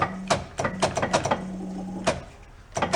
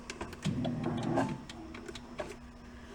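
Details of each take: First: 1976 Porsche 914, converted to a station wagon in 1978: fuel injection not expected to work, but with spark it cranks in short bursts, then catches on poured-in fuel and runs unevenly for several seconds. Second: 1976 Porsche 914 converted to a station wagon, during initial cranking attempts: a faint steady hum under quiet clicks and knocks; the electric fuel pump priming and running normally while checking for fuel.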